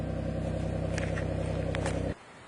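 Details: 2004 Suzuki Grand Vitara plow rig after starter motor no-crank fixed by whacking with breaker bar: even steady idle, smooth low hum, no misses or knocks, then clean shutoff; alternator belt squealed on first start, lubricated.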